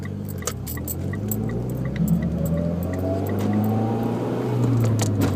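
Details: Mitsubishi Evo X coming off throttle: irregular light metallic rattles tick over the engine on overrun, suggesting something loose shaking.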